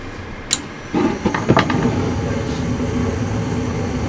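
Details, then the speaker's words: Gas furnace during annual service, run in a heat cycle with the blower already on to check burner ignition and flames: a couple of ignition clicks, then a steady, even blower rush with no fluttering or surging. Normal heat cycle. "going to run it in a heat cycle and make sure the burners fire up like they should and that the flames look nice and blue like they should."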